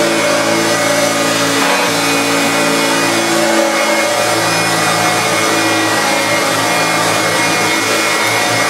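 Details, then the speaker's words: Refurbished Hoover Turbopower Autoflex U2198 upright vacuum, motor running after both seized motor bearings were replaced, with new belt, brush roll and brush roll bearings: smooth, constant high-pitched motor rush with no grinding, rattle or speed wavering. Normal motor run. "absolutely spot on there is that is working perfectly out with its brand new belt and brush roll and new bearings all around"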